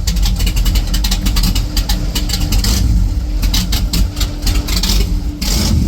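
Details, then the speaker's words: 1970 Chevrolet Chevelle station wagon, small-block V8 (350 suggested), newly on the road after engine rebuild: big V8 catches and barks through sharp blips, drops to even, lumpy idle, no ticking; runs healthy. "It sounds like a Chevelle. Spicy."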